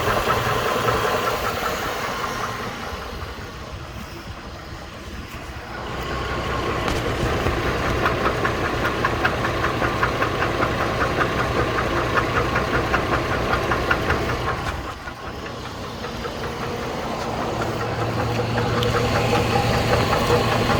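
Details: 2008 GMC Envoy, 220k miles, well-maintained oil, idling with a steady sharp knock at about two to three beats per second; cause not yet determined.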